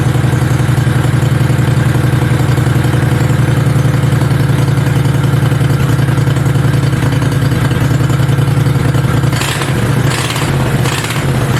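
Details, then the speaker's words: Homebuilt Goliath mini bike V-twin before its first ride, idling as a steady, even low thump with no misses or clatter. It had been idling way too high, and the owner planned to lower it with a screw underneath. Healthy normal idle. "oh baby oh this thing sounds awesome you guys oh it's sick ready to get her wrapped up now"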